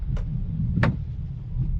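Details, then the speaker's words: GAC car, wipers running jerkily in constant mode while driving: sharp single taps about every 0.7 s over road rumble as the wiper arm strikes the water-deflector strip that keeps water off the side glass each sweep. "друзья кто-нибудь сталкивался с такой проблемой дворники работают рывками и в постоянном режиме"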